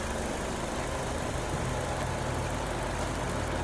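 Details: Nissan Sylphy petrol engine idling smoothly with A/C on, free of rattle or chatter, just after the alternator one-way clutch pulley was replaced to cure a rattle under load; the rattle is gone.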